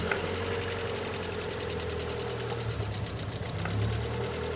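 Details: Ford Fiesta XR2i that sat about 7 years, first running, during coil pack and plug lead tests: rapid tick over an uneven idle that stumbles as if one cylinder drops out; misfire suspected from rusty, poorly connecting coil pack contacts.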